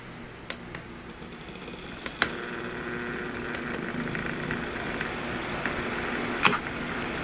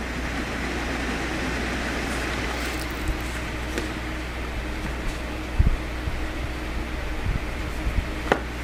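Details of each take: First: Old window fan motor that overheated, coils scorched, top bearing just reinstalled: powered, low steady hum with a few clicks but won't spin as bearings are misaligned; coils confirmed good, assembly possibly heat-warped. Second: Old window fan after repair of a motor that had overheated and would not spin, with fan blades set too low; now runs much quieter with a steady, smooth low whir and no rubbing or ticking; normal fan operation.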